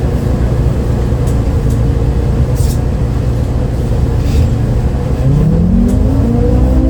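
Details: Recorded 07-03-2022 aboard 2008 MAN Lion's City A37 bus 3477 (MAN D0836 LOH 63 diesel, ZF Ecomat 6HP automatic) on line 8 Eindhoven. A heavy diesel drone under load, pitch climbing steadily after a downshift; an odd engine note never heard before on a MAN, cause unknown.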